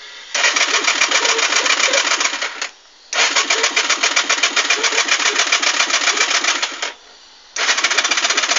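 A fast, buzzy clatter of clicks, several a second, in bursts of two to three seconds with no cranking at all; the starter just clicks and won't turn.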